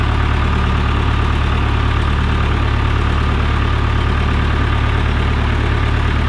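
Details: John Deere 455G crawler diesel, cold start after cleaning the ground on the flywheel housing and wiring around the disconnect switch: steady, even low diesel rumble near three beats a second with no knocks or misfires; normal healthy idle.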